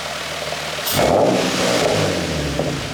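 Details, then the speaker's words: Infiniti G35 drift car with a new low-mileage engine and a short Godspeed exhaust kit, heard from the rear. Sharp blip from idle to a loud raspy rev, then a smooth fall back, no knocks. Owner likens it to the Tokyo Drift 350Z. Normal revving. "The Black 350, it sounds a lot like that at high RPMs. Maybe down low, not as much, but similar to that."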